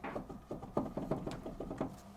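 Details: GMC Sierra front wheel jacked up and rocked: quick dull clunks from a worn, loose wheel bearing hub assembly; the hub ran hotter than the others, and a brief vibration and coming-apart sound were felt under throttle at 35–40 mph.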